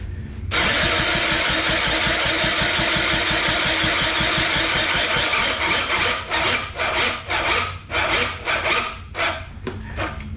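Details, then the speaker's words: Honda Spree 50cc scooter compression test: fast even cranking with little chuff or drag, then stop-start pulls; gauge reads only 25 versus about 90 needed to run well (100-110 good). "Alright, so some of that is basically, it is built up, you know, the pressure in there, and we are reading low. That is 25."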